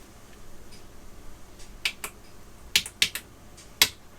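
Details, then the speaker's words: Commodore SFD 1001 floppy drive, no track zero sensor: sharp irregular clacks about once a second as the heads bang the track zero end stop; drive later reported format speed error on track 1, possibly spindle drive board. "grant the heads against track zero i don't think this has a track zero sensor so it bangs the heads"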